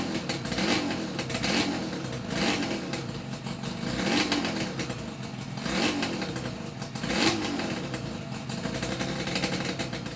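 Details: Yamaha RD350YPVS F2 two-stroke after full rebuild (all bearings, seals, rebore); plugs were loose on first run. Crisp blips roughly every 1.5 seconds, climbing cleanly and settling back without rattles. Normal revving, quiet engine.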